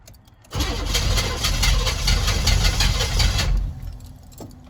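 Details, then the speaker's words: Newly bought truck with glow plugs, cold weather start attempt. Steady cranking with rough, uneven firing for about three seconds, then the beat fades out. Fires briefly then stalls; owner assumes it is out of fuel, not yet diagnosed. "She's dead. I'm gonna assume it's out of fuel, because it fired for just a moment and then died."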